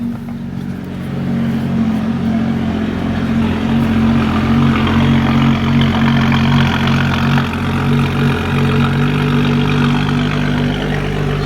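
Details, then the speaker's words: BMW F30 335i with replacement N55 engine (EWG/PWG swap), idling just after first start: even, steady idle with a smooth low rumble, no misses, knocks or hunting; running smooth. "Everything's in. Start it up. Running smooth."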